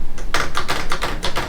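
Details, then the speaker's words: VSETT 10+ electric scooter at 400 miles with aftermarket steering damper fitted: sharp, hollow clicks in quick bursts about eight a second over bumps, from a loose piece on the damper. "Okay, at 400 miles with the damper on, it makes noise, and I couldn't figure out why it was making noise."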